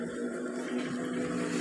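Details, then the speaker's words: LG Turbo Drum single-tub washer after replacing the faulty pressure switch (sensor), in spin mode: drain runs, then a soft steady motor hum with no grinding as the tub starts turning slowly; normal spin start, previously no spin. "Proses drain sedang berlangsung, membuang sisa-sisa air di dalam tabung. Dan terlihat, juga terdengar, tabung mulai berputar perlahan."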